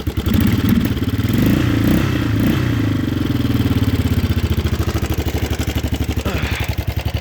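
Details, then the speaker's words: 1988 Yamaha Big Bear 350 four-wheeler, carburetor gone through, new fuel lines and filter, smokes heavily but 110 psi compression (owner suspects oil ring): loud raspy single-cylinder idle with barely muffled pulses; exhaust rusted out, doing little silencing. "But you can tell the exhaust, it's been, as usual, they kind of rust out. I'm sure it's not doing a whole lot."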